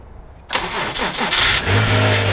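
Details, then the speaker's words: Subaru EZ30D fitted with an EZ36R intake manifold via a throttle body adapter, ECU reflashed: unprepped cold start with a short crank, immediate firing and a steady, even fast idle; normal and idles well. "And this is a cold start. This car wasn't prepped beforehand. Start it up."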